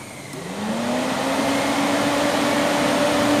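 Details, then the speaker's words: 2008 Peugeot 206 1.4 8V Flex radiator cooling fan commanded to second (high) speed by scanner; the first speed was not engaging. Spins up into a strong, steady, even whirring hum; high speed runs normally. "agora a e olha a velocidade Olha a força agora tá essa é o segundo"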